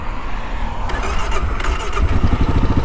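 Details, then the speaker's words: 2022 Kawasaki KLR 650 fuel-injected single: short crank, catches right away and settles into steady even thump; normal start. "nice fuel injection right up no problem fires up beautifully i'm sorry for you carburetor fanboys out there but i am such a fan of fuel injection these days"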